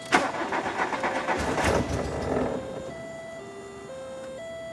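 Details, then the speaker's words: 1993 VW Cabriolet after replacing the fuel pump, in neutral with parking brake on: short crank catches quickly into a smooth, steady run; starts far better than before the repair. "and it started thousand times that are better than it did last time"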